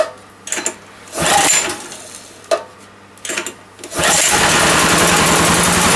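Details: OKAY inverter generator, 2.5 kW max / 2.2 kW rated, pull-started: a few rope pulls, then the small engine catches and settles into a steady, even run; starts and runs normally.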